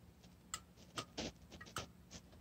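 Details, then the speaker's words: McDonnell & Miller #67 low water cut-off on a 30+ year old steam boiler, float being moved by hand after freeing it from sticking: sharp separate clicks as the burner-off and feeder-on switches snap over normally. "there's two switches normally on normally off depending on the position of the float and that the first click should shut off the burner and the second click should turn on the feeder"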